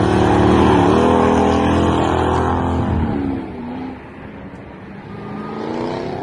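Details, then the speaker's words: Toyota Soarer drift car, 1UZ V8 with M90 supercharger on 10-pound pulley, intake temps above 100°C: loud high whine rising and falling with revs as it passes; supercharger spinning faster than it probably should. "I was blown away with just how much that little supercharger whines. Yeah, it's spinning a lot faster than it probably should do, which is part of the reason for the noise, I suppose."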